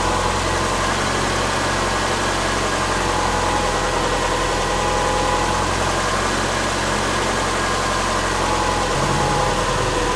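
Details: Subaru Forester with freshly reinstalled EJ25 flat-four, first fire-up after install, valves not adjusted, warming up and learning idle: steady, even low hum, no knocks or misses; normal idle.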